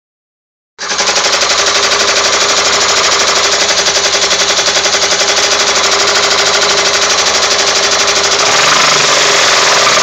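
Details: 2002 Pontiac Grand Am petrol engine: sharp, steady knock about four times a second, narrowed to cylinder 4 by disconnecting plugs. Lifters and rods were already replaced; cause unknown.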